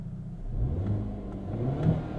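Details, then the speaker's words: 2022 Hyundai Elantra N, 2.0 L turbo four, 6-speed manual, exhaust in normal mode, binaural in-car mics then door opened: low muted exhaust drone rising and falling gently with light revs, no pops or rasp; clean normal exhaust note. "Pretty quiet, pretty muted. Let's open up the door so you can hear it too. Still sounds nice. It's got a clean tone to it."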